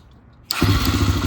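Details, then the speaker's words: 2009 Kawasaki KLX140 dirt bike, sat about two years, old fuel drained, fuel on, spark plug cap reconnected: quiet click, single cylinder fires at once and settles into quick even idle; fired right up, runs pretty good, normal start and idle. "it sounds like it runs pretty good though I just got to clean it up now"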